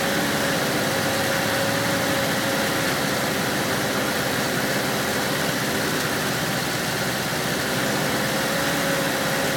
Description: 1978 Volkswagen Westfalia stalling twice after starting. Third time gave it gas and it idled but sounded rough